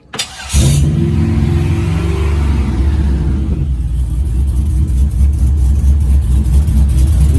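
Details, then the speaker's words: 1959 Chevy Apache with an LS 5.3 V8, first real start with everything hooked up after fuel pump priming: the starter whirs briefly, then it catches fast into a strong, even rumble with clean throttle blips. Healthy engine with good throttle response. "you listen to that Beast go around underneath here and take a look it's a boy's aluminum tank pretty tight man sounds good too"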